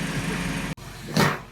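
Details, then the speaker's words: Mini after head gasket and timing chain repair, about 10 minutes running, no check engine light, fan running but not at start-up: steady even low idle hum with no knocks or ticks, one brief clunk; engine healthy. "we'll see we'll get a couple starts to make sure it doesn't uh throw the code again but as of right now it's kind of feeling like a win"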